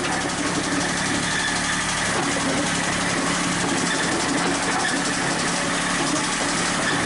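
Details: Komatsu PC40 excavator's original Yanmar diesel, before swap to Cummins: busy clatter with faint high squeal and rapid knock; owner suspects main or rod bearing, fears it may lock up.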